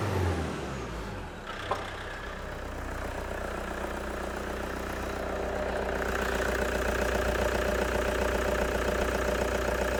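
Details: 2006 Toyota Hilux 2.5 D4D diesel with a crank-no-start and no codes, test run on temporary fuel: catches after brief cranking, then settles and revs evenly without misfires; starts and revs cleanly, pointing to a fuel supply fault.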